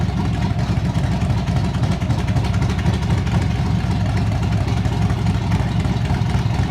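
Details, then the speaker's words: 1981 Chevrolet El Camino with a newly installed 283 V8 at its first start: a deep, steady burble with an even lope and no knocks or ticks. It is running healthy but still needs tuning and break-in. "I told you guys and gals, this little 283 is a monster. You can hear the heart of this thing now."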